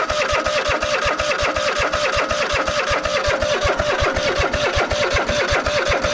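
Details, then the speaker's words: Cub Cadet GT 1554 V-twin mower, unstarted about 2 years: fires in quick, fairly even pulses only with carb cleaner sprayed in; carburetor later found murky and full of water. Fuel delivery fault. "If it works with the carb cleaner, then it is a fuel problem, which means the line could be clogged somewhere."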